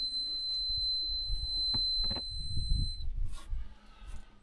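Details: Off-grid wind turbine charge controller: a steady piercing high beep for about three seconds over low room rumble; readings showed 17 volts, and the owner suspects it is the wrong charge controller.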